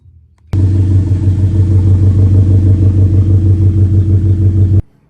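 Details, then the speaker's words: Scion FR-S with catless header, catless front pipe and Tomei overpipe, idling on a lift: a deep rumble with a steady puffing pulse, louder than it should be. The exhaust leaks at the straight-pipe catback where the pipe splits at the rear, and needs welding or replacement. "I did find my exhaust leak. The exhaust leak is actually coming from the front pipe and all the way back towards the back of the straight pipe catback."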